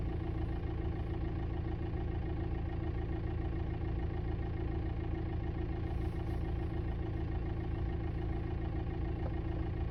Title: 2006 VW TDI Jetta Knocking and Buzzing sounds behind Passenger side Dashboard￼